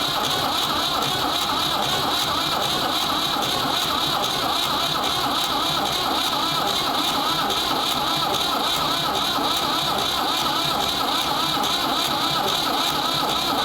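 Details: Ford 3600 diesel tractor with rebuilt CAV injection pump, bleeding injectors: steady even cranking that goes on with no firing and no smoke from the stack; owner suspects the high-pressure section of the pump is frozen, injection pump plungers seized.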